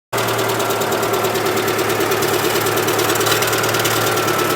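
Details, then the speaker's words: Citroën GSA on a dyno with a newly fitted alternator: a thin, steady high squeal rides over the hard-running engine. A loose alternator belt is slipping, its tension deliberately set slack to avoid earlier noises. "oh that's not a nice noise again will that slacking off of spanner no I need a 14 mil spanner as well it turns out what you doing remember I set the tension fairly loose on purpose uh because we had we had the horrible horrible noises"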